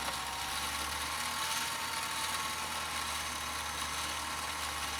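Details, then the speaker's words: Husqvarna Viking automatic sewing machine rescued after being backed over by a car, bobbin winding via the foot controller with no clutch to disengage. A smooth, even high whir over a faint low hum with no knocks or catching while the needle stays still: normal bobbin winding. "On a Husqvarna automatic, you slide the bobbin on, like so, and then when you press the foot controller, you'll see that the bobbin turns."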